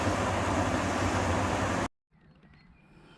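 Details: Beko heat pump tumble dryer after replacing the drum motor, whose old winding was open circuit: steady even rumble and low hum for about two seconds then quiet; drum running normally.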